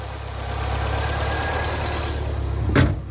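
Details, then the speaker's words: Ford Fiesta Mk3 warm after about 2 miles, bonnet open, idling: low slightly unsteady beat with faint hunting; mixture slightly weak, idle dropping near stall, later richened. "I think the mixture he's slightly on the weak side but we'll gloss over that"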